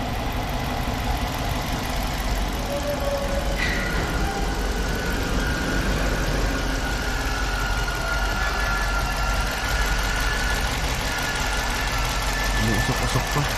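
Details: 5.7 engine after a top overhaul for a knocking noise: steady idle with a faint, quick top-end tick, possibly a hydraulic lifter, unconfirmed.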